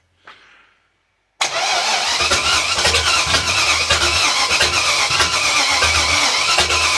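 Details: Volvo Penta AQ271 boat engine (Chevrolet 350 small-block), first start attempt: steady starter churning with uneven firing catches, never settling into a run; cranking and trying to start.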